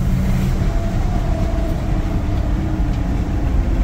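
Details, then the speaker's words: Holley Sniper EFI engine bogging under acceleration: heavy low roar with a thin rising whistle and loud air noise; owner suspects the EFI unit sits too close to the intake runners and plans to add a spacer. "Dives on its face under acceleration. Loud, almost air noise coming through"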